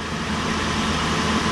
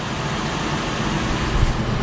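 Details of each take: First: Wheel bearing heard through a mechanic's stethoscope: smooth, even rushing hum with no grinding, clicking or rumble; judged a healthy bearing, compared against the other side's bearing. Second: Wheel bearing checked with a stethoscope against the other side: dense rough low grinding rumble, like a corn sheller, audible almost without the stethoscope earpieces; identified as the bad bearing.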